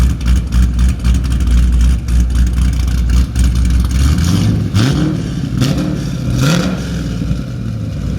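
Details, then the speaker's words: 416 stroker LS3 Camaro with a BTR Stage 4 cam on its first short drive, kept under about 4500 rpm and felt torquey down low: a deep, choppy big-cam idle climbs smoothly through quick blips and settles back. The V8 pulls cleanly and sounds healthy. "I mean it felt really torquey down low I mean we didn't even get above like 4500 right and it was it was feeling like really strong"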